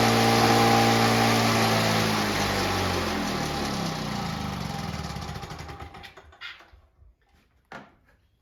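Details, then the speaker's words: Victa two-stroke lawnmower engine (Powertorque) built from junk parts, running after its first pull with fuel tap shut off: crisp, even two-stroke buzz that holds steady, then slows and dies as fuel runs out; a healthy engine. "fuel fantastic sounds like a really healthy engine"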